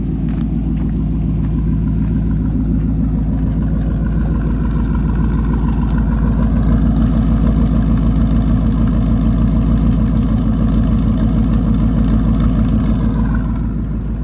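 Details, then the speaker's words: 1999 Chevy Tahoe with factory true dual exhaust, catalytic converters kept but mufflers cut out, effectively cat-back straight pipes: deep, loud, steady rumble at idle with a slight rise mid-clip; doesn't sound too bad. "it used to have mufflers, and they cut the mufflers out, and so that's actually true dual with cats and no mufflers. So it'd be like a cat back straight pipe out the back. It doesn't sound too bad."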